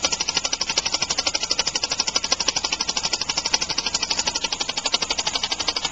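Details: Homemade compressed-air engine (aluminum valve shaft/crankshaft in a steel bore, sloppier after about 15 minutes' running), started just past top dead center: rapid, hissy air puffs in a fast, slightly wobbling beat; rough running from early valve timing and an unbalanced flywheel.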